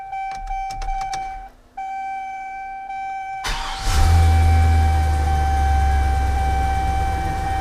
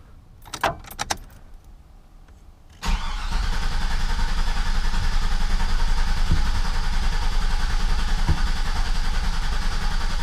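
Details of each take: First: 2003 GMC 2500 truck after aftermarket fuel pump replacement, rewired after the supplied diagram proved wrong: chimes and window motor, brief crank, then catches into a steady even idle; fuel gauge working, starts fine. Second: GMC 2500 truck after aftermarket (likely Carter) fuel pump install: brief whir then about ten seconds of steady cranking that never catches; owner suspected air bleed, but miswired pump was pumping backwards, so no fuel reached engine.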